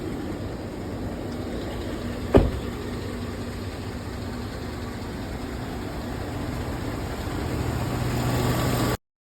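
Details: Chevy Silverado 1500 5.3 liter V8 4x4 after misfire repair: steady even idle with no stumble apart from one brief click; check engine light no longer flashing, runs smoothly.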